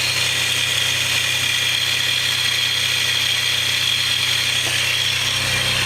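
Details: 3000GT/Stealth twin-turbo idling, camera under the car: a constant, unchanging high whine, separate from the known lifter tick at startup; source on one side of the motor, unknown.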